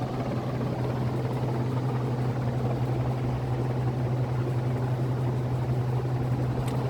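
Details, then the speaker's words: Dayton 60" industrial ceiling fan 4C721 at full speed; steady motor hum with faint rough, uneven rushing underneath, wet or dry bearing noise the owner thinks comes from the sealed lower bearing, which can't be oiled; suspected, not confirmed. "oh yeah you can hear a bit of the the wet or dry bearing noise i think it's the lower bearing that's making the noise which is sealed so i can't oil it"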